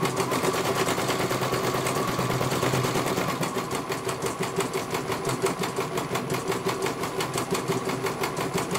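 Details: CNY computer embroidery machine serviced from Banjarnegara, Central Java, that arrived with its motor (dinamo) not turning at all and the bobbin case missing; steady needle clack about three strokes a second, no grinding or misses, one colour finished. Normal stitching.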